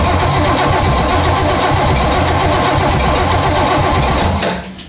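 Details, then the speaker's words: 1968 Corvette 427 tri-power V8, sat a very long time: cranking with ignition disconnected to get oil pump pumping before first start; steady starter grind with even compression pulses, no firing. "So the point here is to just spin this over a handful of times without it trying to fire."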